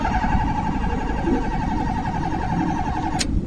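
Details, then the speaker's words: 2019 Honda City with fuel in tank, crank no start: starter whirs steadily for three seconds without the engine catching, then cuts off; cause found to be a broken fuel pump supply wire. "यह आपके सामने है गाड़ी start नहीं हो रही यह मसला है गाड़ी में"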